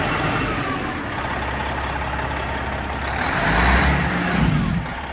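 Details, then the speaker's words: Detroit 12.7 diesel, almost million miles, just overhauled with PDI kit (liners, pistons, stage 2 head, main bearings), first run in shop: deep, even clatter building smoothly as revs rise and settling back, no knocks or misses; healthy engine. "Now we get to clean up the mess after the fact. Sounds good. Sounds like an old Detroit."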